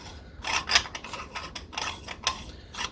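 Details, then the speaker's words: 1959 Shakespeare Spin Wondereel No. 1761 Model FB underspin reel, cover on, wound very fast: quick raspy clacks in bursts each handle turn, possibly as centripetal force flings the pickup pin against the spinner cover; mostly absent with cap off. "clamping clapping noise this is that's happened on several more of these that I it's only when you wind really fast it's almost like the what's happening is that this centripetal force is causing that pickup tend to fly out into the side of the"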